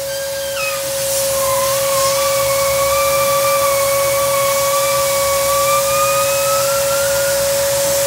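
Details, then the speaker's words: Truck running, heard from underneath on the driver's side, soapy water applied: steady airy hiss with a high whistle; exhaust leak at the O-ring between manifold and exhaust pipe. "So yeah, there's a small leak right there. There's like a O-ring that goes inside there, and it goes right here, right in between the manifold and the actual exhaust."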